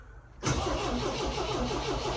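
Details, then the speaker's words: MGB GT garage find, 20 years unused, on a fresh battery: the starter spins the engine steadily but it never fires. There are no ignition lights and the electric fuel pump never runs, so no ignition; fuses to be checked. Crank, no start. "Electric fuel pump's not kicking in at any point. So, we've got no ignition, which is weird."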